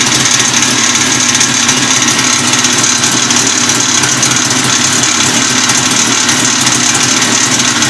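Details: Two-stroke RMZ-500 snowmobile engine running with a harsh, rattly metallic clatter over the exhaust note; an extra noise from the engine whose source is unknown.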